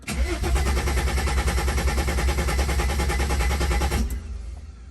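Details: Wagon with OM606 diesel swap after replacing rusty fuel tank causing low fuel pressure, injector lines cracked loose: about four seconds steady cranking, roughly three turns a second, not catching; purging air.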